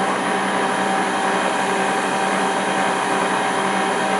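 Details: Land Rover LT230 transfer case on a test bench, revs raised after reversing rotation direction: steady even whir with faint hum holding pitch near top speed; mild background gear noise, about 80 dB (ambient 56), rear of case seems noisiest.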